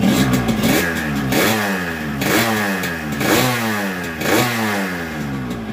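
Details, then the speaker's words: Yamaha RX-King two-stroke with a 125Z head, after a new con rod and block and after fitting rubber dampers between the cylinder-head fins: each blip rises and falls cleanly with no ringing fin buzz. Finding: normal running. "setelah kita Pasang karet kop kita dengar hasilnya suara mesin itu bunyinya akan berbeda"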